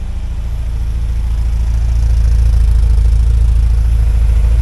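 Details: 1979 Porsche 924 after fuel tank and system cleaning, filters cleaned and large filter added before fuel pump, key cycled to prime: low, steady idle with even pulse, no knocks or misses; runs smoothly.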